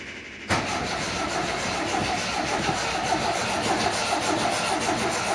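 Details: 1980 MGB after clutch release repair: starter churns the engine slowly and steadily for several seconds without it catching; hard start.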